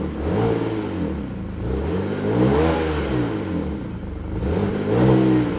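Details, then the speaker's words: BMW E90 N54 just after in-tank fuel pump upgrade (Precision Raceworks stage 2); fired right up, clean even revs rising and falling with throttle blips, no stumble or misfire. "Fired right up. Give it a little gas."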